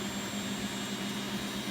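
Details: Beko WX842430W washing machine, first look, empty drum on 1400 rpm spin and drain: smooth, steady high rush with low even hum, no knocks or scrapes; spin cycle running normally.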